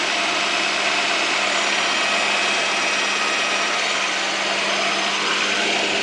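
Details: 1998 Honda Prelude at idle with oil light flickering at stops, oil level fine and freshly changed; hard steady whine over busy idle, not power steering, pulleys or timing belt; owner suspects failing oil pump.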